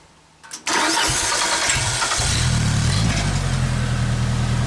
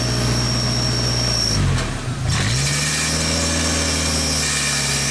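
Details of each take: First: 1995 Genie Z-45 boom lift engine after throttle rod repositioned and a makeshift throttle stop screw added: it fires quickly, runs up briefly, then settles to a smooth, steady low idle without dying instead of stalling at closed throttle. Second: 1995 Genie Z-45 boom lift engine after throttle linkage moved to another hole so the butterfly closes fully, likely too far: it sags and stumbles at closed throttle, then revs cleanly and holds at full throttle under governor/actuator control.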